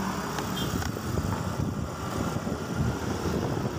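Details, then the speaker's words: Yamaha Mio M3 scooter on a test ride after new piston and rings were fitted to cure a rough-sounding engine with no power; smooth even note, no knocking or rattle, strong and no longer rough: normal running after repair. "jadi oke sekarang untuk motor ini sudah bertenaga ya halus bertenaga kelihatan sudah tidak ada kendala tidak bersuara ya maksudnya Tidak sudah tidak kasar lagi mesinnya"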